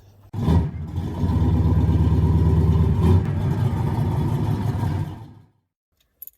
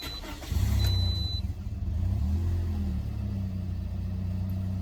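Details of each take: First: 2011 Toyota Corolla: sluggish, laboured cranking for several seconds before it barely catches, then dies; owner suspects a failing starter, later replaced. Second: 2011 Toyota Corolla, first start after installing a new starter: a quick, fast, healthy crank, then the engine catches slightly rough and smooths into idle. Normal cranking and start, much faster than before.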